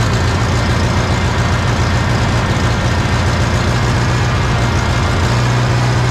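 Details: 1960 John Deere 1010 diesel after engine rebuild and injection pump timing adjustment to cure smoking: a steady, even chug at idle with a firm low beat and no misses or knocks. Running great.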